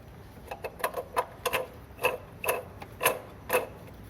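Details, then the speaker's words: 2007 VW Fox with engine noise, belt removed and water pump turned by hand, engine off: irregular light clicks and rough ticking; worn water pump bearing was the noise source, not the cylinder head. "estamos aqui com esse foto 2007 é um barulho o que parece é a bomba da água colete esticadores alternador aí o certo aqui"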